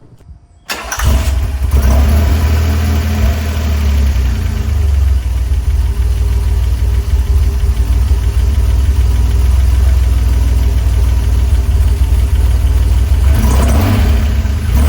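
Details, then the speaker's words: DeLorean DMC-12 with Bosch K-Jetronic fuel injection, pre-warmed to the first temperature-gauge line: steady low rumble, revs rise sluggishly and sag back with a bog, black smoke showing a rich condition; starting and hunting progressively worsening. "We could hear that throttle response is absolutely terrible. Terrible bog on the return and black smoke showing a rich condition coming out the pipes."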